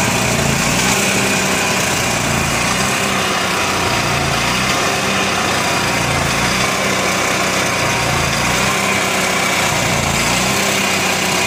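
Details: Onan MicroQuiet 4000 generator engine with clean carburetor, new air filter, good fuel pump flow and near-new spark plug: idle hunts unevenly, surging and dropping every couple of seconds; rough idle, cause not found.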